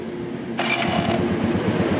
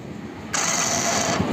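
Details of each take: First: Hero Honda Passion Pro motorcycle, electric self-starter that normally makes a loud noise on starting: this start has a brief clean starter whir into steady single-cylinder patter, no grinding or clatter; normal electric start. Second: Hero Passion Pro motorcycle on electric start; a sharp, loud high-pitched whirring screech under a second as the starter engages; starter engagement noise, gone after repair.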